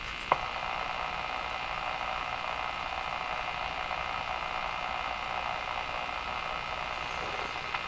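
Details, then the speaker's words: Westinghouse 535 radio after capacitor replacement, before alignment: a steady whistling hum over constant static hiss on both AM and shortwave; front-end oscillation whose cause is not yet found. "It's both the AM and the shortwave doing exactly the same thing when it comes to the front end oscillation."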